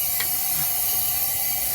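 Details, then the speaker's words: 2008 Jeep Wrangler 3.8, cylinder 1 leak-down test after misfires: continuous hiss of escaping air with no pressure held, so cylinder 1 has no compression; valve seats or valve suspected, head removal needed. "deja el aire aquí no hay compresión desde el cilindro uno no tiene compresión ahora si ya lo comprobamos"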